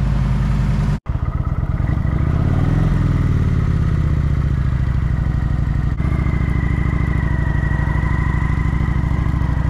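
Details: Kawasaki Vulcan 900 V-twin after new fuel pump, fresh fuel, cleaned ECU and wiring fixes for a no-start: catches into a steady idle, revs rise and fall cleanly without stumbling; runs healthy.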